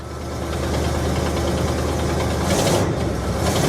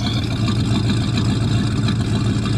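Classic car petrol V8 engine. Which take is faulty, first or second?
first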